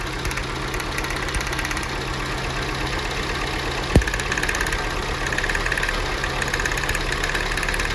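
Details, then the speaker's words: Jeep Renegade after new spark plugs (old ones at 60–70,000 km) and coils tested OK: rough idle with faint snapping ticks and a loud crack, with exhaust pops; spark leaking past a poorly sealed plug boot, causing misfire. "isso isso acontece lá embaixo às vezes vai pra vela e às vezes dá uma fuga na vela e uma na lateral que nem aqui"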